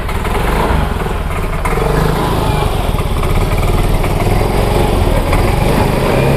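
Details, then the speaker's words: Yamaha Mio M3/Mio J scooter, hard to start by starter or kick and dying off throttle despite good fuel pump pressure, spark plug, plug cap and no MIL code history: engine stumbles and sputters unevenly; misfire traced to a faulty injector nozzle. "Nah itu ya teman-teman jadi motor dalam kondisi brebet dan tidak langsung"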